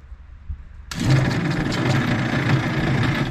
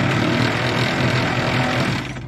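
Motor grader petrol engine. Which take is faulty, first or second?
first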